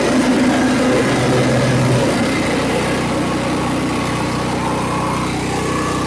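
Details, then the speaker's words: Cub Cadet LT1045 mower with a bad PTO switch, blades engaged by touching the switch plug contacts as a bypass: single-cylinder engine runs at a steady, even beat, with a rising whir and a brief dip under load as the blades engage. Normal. "I could grip this, but I couldn't get to it, so I had to kind of just touch it. But you could hear the blade ignite once it touches this."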